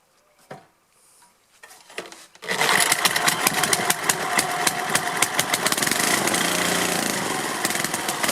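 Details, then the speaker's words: Tecumseh/Lauson HH60 cast-iron four-stroke from old Troy-Bilt tiller, first start after rebuild of seized, galled rod, carburetor not cleaned: catches after pulls, runs ragged and surging, won't idle, smoking (possibly burning off oil); owner plans carb cleaning. "well i don't like that it's smoking a lot although i think it might be just burning off oil oil on things and it won't idle but i'll clean the carburetor"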